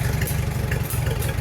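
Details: 1944 Farmall H, magneto, new non-resistor plugs and wires, carburetor modified for idle-circuit hand start; cold engine off a day at 50 degrees, hand-cranked; slow, even low thump at idle, no misses or knocks.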